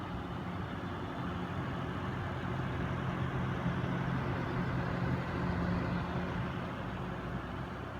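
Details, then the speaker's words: Noctua NH-D15 CPU cooler with both 140 mm fans in push-push configuration, pushing air through the heatsink fins: soft, even air rush with a faint low hum and only turbulence, no buzzing. The fans run quietly, unlike the buzzing pull setup. "okay so looks like in the push push configuration it's nice and quiet if you can just hear that"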